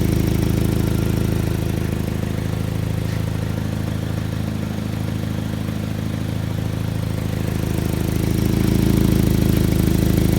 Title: Exhaust leak